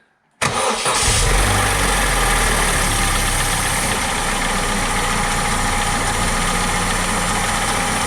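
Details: Vauxhall Corsa C after crankshaft oil seal replacement and refitting the drive belt: brief crank, clean catch, then steady even idle with no knocks or misses; healthy start, no leaks seen.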